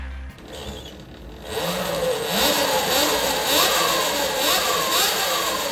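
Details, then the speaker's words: New Talaria XXX Pro electric dirt bike just unboxed and assembled: clean electric motor whine climbing and falling smoothly with each throttle blip, no grinding or clicking; normal motor rev. "Woo, she revs like a baby."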